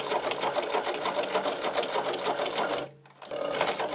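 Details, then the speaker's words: Servo-driven Podolsk sewing machine on thick leather, No. 150 needle, No. 15 thread, pedal fully down at high speed; fast, even needle chatter, brief stop, straight back to full speed with no knocks: normal, stitch perfect. "высокой скорости, смотрите, я нажал на педаль до упора. Смотрите, стежок идеальный."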